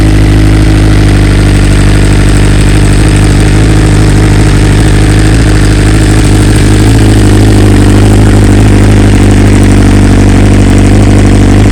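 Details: 2020 BMW S1000RR, warm engine, just back from dealer after two coils replaced under warranty and software updated to newest stock version: inline-four settles into loud steady idle, even smooth beat, no stumble or misfire; normal idle.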